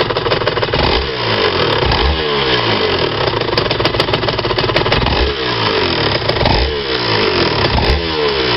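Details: RS 125 two-stroke revving up and down: a tinny clinking rattle over the exhaust, loudest as revs climb, absent at about 30 km/h in 4th–5th gear at low speed; cause unknown.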